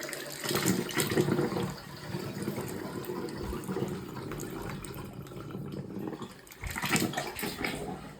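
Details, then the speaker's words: Toilet that was overflowing, after fitting new fill-valve parts: steady rushing water that softens as the cistern fills, no hiss or hammering; the fill valve refills normally. "Moment of Truth sounds like it's quiting now maybe TL filling up"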